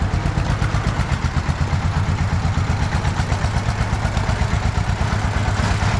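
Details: Russian DT-14 tractor from the 1960s, single-cylinder diesel, hand-crank started cold after 10 years unused: slow, regular thumping at about three beats a second, steady with no misses; normal idle.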